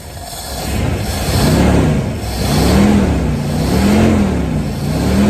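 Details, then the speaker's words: 1986 Ford Bronco 351 Windsor four-barrel V8, sat about 15 years, first run on fuel poured into the carburetor: revs rise and fall smoothly through repeated blips, no clatter or knock. Runs well, with a little smoke expected from debris built up in the exhaust. "all right she runs good deal little smoke but to be expected with all the crap that was probably built up in the exhaust"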